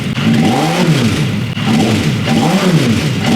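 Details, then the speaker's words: Sat-long motorcycle four-cylinder donor engine for formula car, warming up with oil circulating; repeated revs, pitch climbing then falling back early as it dies up top around 6,000 rpm of a 10,000 rpm range; engine stumbles at high rpm. "Oh, it kind of dies up top. That was like 6,000 RPM. It goes up to 10,000 RPM. It didn't like that."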